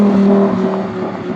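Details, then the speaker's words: Audi R8 V10 on hard downshifts under load while slowing: engine note falls as revs drop and breaks into a brief uneven stutter instead of a smooth fade; drives and shifts fine otherwise, cause unclear. "You can hear how it's like stuttering. It's just on downshifts when it's under load."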